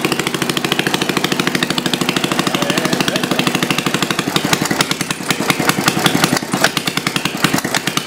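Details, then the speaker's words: Homemade water-cooled Briggs & Stratton single-cylinder engine, about 65 years old, after valve seat work, throttle slightly raised: uneven beat hunting up and down with an occasional dropped stroke, a galloping run with a miss now and then; no smoke; judged acceptable. "here got that gallop to it got that Gall get out that Miss every once in a"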